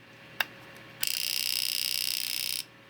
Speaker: Did you hear that? We are working. And you can see that my output LED is flashing.